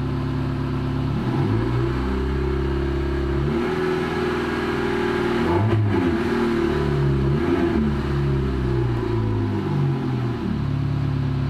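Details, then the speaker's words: Engine with the lambda (oxygen) sensor unplugged from its harness, slightly warm, idling normally; throttle blips rise and fall cleanly with no stumble, misfire or cut-out. Disconnecting the sensor doesn't affect running, though fuel consumption rises. "aí com vocês perceberam não falhou aceleração não cortou o motor continua normal como era de se prever"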